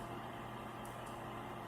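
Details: Chieftec GPS-500AB A PC power supply, under-repair unit (PC wouldn't start) on test under load: steady even fan rush with faint low mains hum, no rattles or buzzing; 12 V ripple about 90 mV, within tolerance, running normally.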